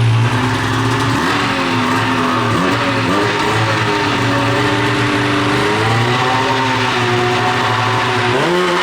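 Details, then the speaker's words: 13-year-old race two-stroke snowmobile, after air-fuel screw adjustment ruled out and power valves de-equalized: burbles and stumbles at low revs, pitch sagging instead of clearing; bogging off idle, owner suspects sticking power valve when warm. "sucker in bog City right now all right guys we got all sorts of wacky stuff going on"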